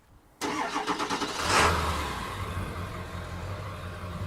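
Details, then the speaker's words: 2003 Ford Excursion Limited 7.3L Powerstroke diesel, heard from the rear; cranks briefly, fires right up and settles into an even, steady diesel clatter at idle with no smoke. Normal diesel cold start and idle. "It sounds like a 7.3 diesel. Doesn't blow smoke or anything."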